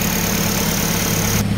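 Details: Toyota Corolla small body 4AF 16-valve carbureted petrol engine idles with a steady, even low hum and no stumbling, after replacing a broken number-one high tension wire, cleaning the dirty carb and tuning the air-fuel mixture; it previously died at idle.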